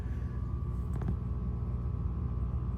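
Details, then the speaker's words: LG top-loading washer drain pump humming steadily with a faint tone near 1 kHz but not draining at the rinse/drain cycle; tapping and squeezing lines didn't help, owner unsure if pump needs replacing. "you can hear it humming I I've tapped and banged squish the lines I don't know just trying to figure if it Dawns a new pump"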